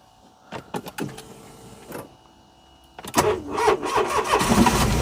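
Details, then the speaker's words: Smart ForTwo, not run since September, on a booster pack: several slow dragging crank attempts with pauses, then it catches and runs rough. Owner suspects a seized alternator binding the engine; the starter also failed as a result. Slow labored cranking. "the alternator I think has seized and that's why the engine's not turning over"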